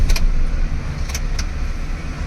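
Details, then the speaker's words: Maruti Alto K10 after starter motor repair (jammed Bendix and worn brushes replaced), which failed to start when hot: engine catches straight away and settles into a steady idle, with the AC on, no lag; healthy start. "ഒരു lag പോലുമില്ല എന്നാലും നമുക്ക് രണ്ടു മൂന്നു പ്രാവശ്യം അടിച്ചു നോക്കാം കുഴപ്പമില്ല ഒരു ലാഗും ഇല്ല"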